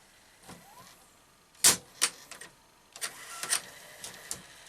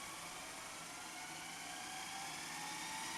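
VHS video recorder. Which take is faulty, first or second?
first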